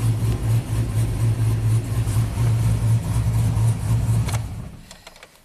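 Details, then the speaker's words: Tuned 2000 GMC Sierra 5.3 V8 with cam and exhaust, after fixing P0336 crank sensor fault (rust in hole mispositioning sensor) and crank relearn: deep steady burble with even lope, no misfires, shuts off cleanly. "amazing this truck is fixed so simple problem but kind of weird you know"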